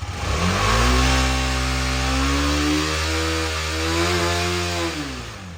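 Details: 2018 KTM Duke 250 left dead for one year, started after fully charging the flat battery to 100% with a smart charger. Engine catches and runs smoothly, revving up and settling with an even, steady beat, no knocks or misfires: normal running after start.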